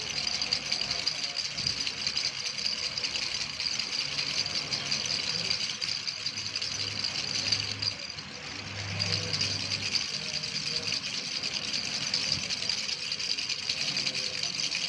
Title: Rattle sound-1